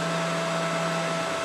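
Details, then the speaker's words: Mikini 1610L mill after replacing the BLDC motor and loose-pulley drive with an AC inverter-duty motor and Hitachi sensorless vector VFD, cutting aluminum: steady even spindle whine at one pitch, no rumble, knock or chatter; normal spindle running under cut. "now you can see spindle sounds really good cut sounds good it feels like it's more rigid somehow I don't know"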